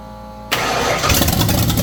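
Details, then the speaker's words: 1989 Ford Foxbody carbureted engine with choke propped open, about the tenth start attempt: starter whirs and the engine churns unevenly without catching. The front float bowl had no fuel and fuel pressure was around 6, so the engine is fuel-starved. "just made a little Discovery front Bowl did not have any fuel in it"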